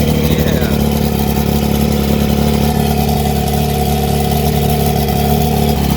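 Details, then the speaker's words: Chrysler outboard, 4-cylinder, being rebuilt, first run in possibly 23 years on water ears, impeller working: loud low drone with lumpy uneven beat instead of smooth purr; owner suspects a cylinder missing, unconfirmed rough idle. "Is that sounding okay for I don't know if it's in 23 years. Is that all 4 cylinders, do you think? Probably missing there, eh, maybe?"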